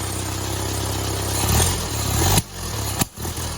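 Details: 1972 Fiat 850 Spider after timing adjustment: uneven idle with surging and two stumbles nearly stalling; better than before but rough, owner suspects carburetor needs cleaning or accelerator pump, possibly another carb adjustment.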